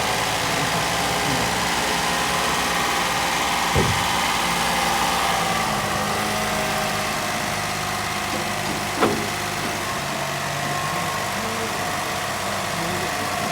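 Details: Toyota Vitz engine at idle: smooth and even with no thumping or drumming vibration from the engine mounts, apart from two stray clicks; the engine sounds settled and normal.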